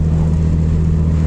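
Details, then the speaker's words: DSM AWD turbo (awdtsi_90) after replacing two injectors and the ignition coil pack: strong, even engine note climbing smoothly under throttle with no stumble or miss; hesitation and misfire gone, normal acceleration. "so the hesitation mishap all that's gone so between the two injectors and the ignition coil pack I think we got it all taken care of"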